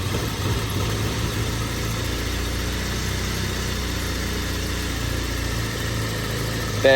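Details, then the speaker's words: BMW E36 Compact, M4x four-cylinder, about 100,085 original miles, cold idle with no throttle just after start, no check engine light; idle hunts and stumbles with uneven, lumpy beat; rough idle that smooths when warm; owner suspects idle control valve. "It's definitely idling rough, and I think that's strictly from the idle control valve."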